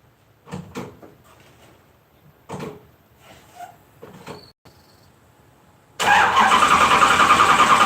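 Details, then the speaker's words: LS 4.8 V8 swap, just switched to 60 lb injectors from a 5.7 and loaded a new remote tune; starter cranks steadily about 3.5 turns a second but it never catches; they suspect it needs more fuel during start. "Oh yay did not start at all"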